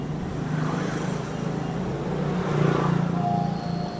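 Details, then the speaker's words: Rusty Shimizu 300 W water pump run from a 12V-to-220V 150 W inverter: low buzzing hum with slow, uneven motor spin drawing about 60 W; too weak for a water load, induction motor growling. "yang jelas buat pompa air yang ada bebannya air itu gak kuat Mas guys dan bunyinya itu mendengung ya Mas guys"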